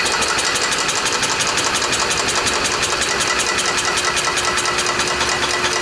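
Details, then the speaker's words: Club Car golf cart petrol engine, first start after 4 years stored in a barn since it quit; fuel checked as gas, not water: it catches and runs with a rapid, slightly uneven pulsing rattle and shaking. Rough running. "fired well you guys probably shook around like crazy but guess what it ran"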